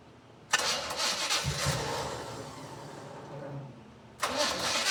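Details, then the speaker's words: 1979 Chevy C10 first start after 9 years in storage, carbs and distributor redone: fires and runs unevenly with irregular lumpy beat, dies back, catches again; throttle sticking open, owner suspects timing off. "Well, that didn't go as planned. Throttle is actually sticking open a little bit and I'm sure the timing's off a little bit."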